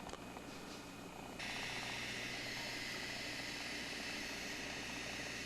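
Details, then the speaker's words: Sony Handycam CCD-FX510 Video8 camcorder: thin whirring hiss starts after about 1.5 s and holds, tape mechanism motor straining and failing to retract, heavily loading power supply; suspected shorted capacitors or a dislodged black part. "to retract the mechanism and it's also seems like it's got some kind of a short in it because it's loading down that power supply pretty heavily"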